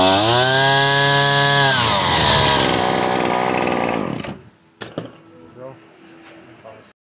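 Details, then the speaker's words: Shindaiwa T261 trimmer running: a high whining rev holds about two seconds, then sags and bogs out as the throttle is squeezed. The cause is a lean high-speed mixture, fixed by turning the screw counterclockwise less than a quarter turn. "So what we're gonna do, since it bogs when I squeeze the throttle, is when I'm squeezing the throttle and it's kind of bogging out, I'm gonna turn this counterclockwise."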